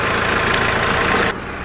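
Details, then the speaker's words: Mitsubishi J25 military jeep with a turbo engine. Steady diesel clatter at idle with no knocks, misses or hunting: the engine sounds healthy, a normal idle. "that's uh the individual for the r5 turbo engine it sounds pretty good if you can hear me"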